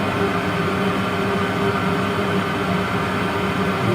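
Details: Worcester Greenstar 38 CDI gas boiler on annual warranty service, fan at maximum rate while combustion (CO2) is adjusted: steady, even fan rush with low hum, no flutter or roughness; burner running smoothly, normal.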